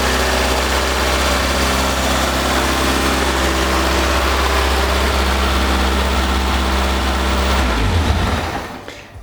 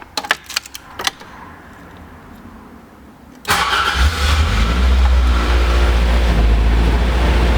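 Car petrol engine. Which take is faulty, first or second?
first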